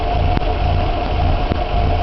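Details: Warmed-up Nissan Hardbody pickup petrol engine idling rough and uneven, stumbling as if on two cylinders, after a new timing chain kit (marks said correct); runs fine driving. Owner suspects water in fuel; labeled incorrect ignition timing.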